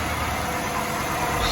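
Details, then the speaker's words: Impala SS V8, cold start after about two months unstarted, no antifreeze yet, air cleaner off: smooth steady idle, no ticking or knocking; normal cold idle. "I just wanted to make sure that everything turned over, everything turned on. You can hear her purring, man."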